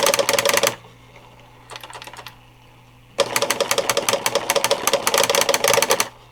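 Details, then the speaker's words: Vintage Alps-mechanism pen plotter (CGP-115/MCP-40 type), refurbished, printing its character set (power feed held at switch-on): fast chattering ticks in bursts with short pauses over a faint hum; printing normally. "And according to the manual, if you hold down power feed and turn it on, it'll do a print of the current character set."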